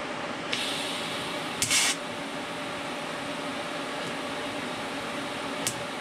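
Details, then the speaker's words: Everlast 255EXT TIG welder, normal arc strike at the correct torch height and very low amperage: a short crisp snap, then a quiet steady hiss as the arc settles in; a clean, normal start. "see here just a little snap and then the arc starts"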